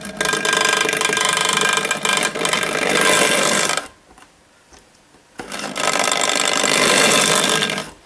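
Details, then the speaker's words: Hornby Dublo LNER N2 tank locomotive on track: a loud, harsh buzzing whirr with rough mechanical chatter, cutting out briefly mid-run; a noisy motor needing bench work, with overlong brushes dragging on the commutator. "now watch this engine that's a noisy Beast isn't it I think I better put that on the bench and see if we can't make that run just a little quieter"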